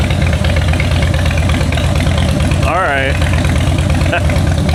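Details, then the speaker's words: 2013 Harley-Davidson Heritage Softail from a salvage auction: deep, loping V-twin idle through the exhaust with an even beat and no ticking or knocking; engine sounds healthy. "sounds pretty good, guys. Sounds uh sounds real good."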